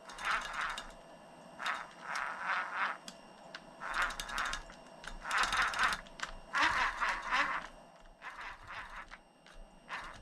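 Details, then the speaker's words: RC car driveshaft turned by hand after hard use gives bursts of sharp ratcheting clicks as it catches and skips. Turning from the front slips through without tension, so the stripped stock gear is in the rear; to be replaced with a machined gear set. "right there again see hear that it's just it's just real bad if I do it from the front it just goes through it because there's no tension on it so that tells me it's definitely the rear"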